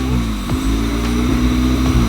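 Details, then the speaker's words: 1998 Honda Civic EK with B20B4 swap from a CR-V and Integra LS transmission, warming up after fitting a new distributor: idle dips and recovers every half second, bouncing less than before; codes for VTEC, IAT and O2 sensor. "You can hear it, it's starting to bounce a bit again."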